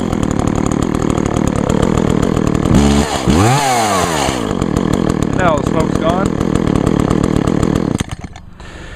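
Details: 2012 Echo CS-400 chainsaw two-stroke, bar and chain oiling well; even buzz rising and falling cleanly with throttle blips before dropping off, no stumble; healthy.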